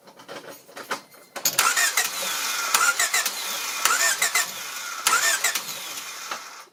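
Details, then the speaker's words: 1993 Honda Civic crank-no-start, after earlier PGM-FI main relay replacement: starter whirs in repeated cranking bursts without firing; no spark found, faulty ignition coil. "let me check if there's a spark oh yeah there's no spark so I'm pretty sure this is a bad ignition coil"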